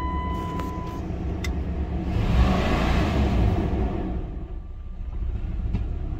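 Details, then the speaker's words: 1999 Dodge Durango SLT that sat 14 years, after reinstalling the exhaust manifold and plug wires: uneven, lumpy idle with a stumble that persists through a brief rev. Misfire; the owner believes two plug wires are swapped and thinks it is the rear two. "like it's missing I got I definitely got two backwards um and it's definitely the rear two I got backwards"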